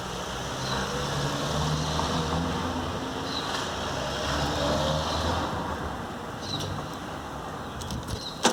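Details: VW Beetle (Fusca) air-cooled engine at steady idle with a rough, rapid scraping rasp on top; the alternator fan is rubbing the sheet-metal fan shroud (capela), worse at high rpm.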